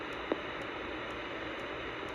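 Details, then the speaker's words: Playback on a new shoebox cassette recorder recorded with its built-in microphone, no record indicator light: only steady, even hiss with no voice or room sound; built-in mic recorded nothing, cause unknown. "It's not working. So the built-in microphone is not working. Why is that?"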